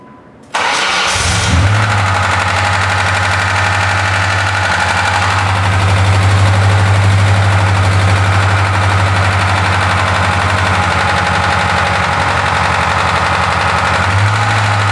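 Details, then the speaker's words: 2000 Ford Ranger 2.5 L idling with rapid clacking from clutch area that fades then returns louder; began a day after throwout and pilot bearing replacement; owner suspects slave cylinder or whole clutch. "As you can hear, when I started the truck, the noise went away and then it came back. It does that every so often where the noise will disappear, it'll run fine, and then it'll come back with a vengeance."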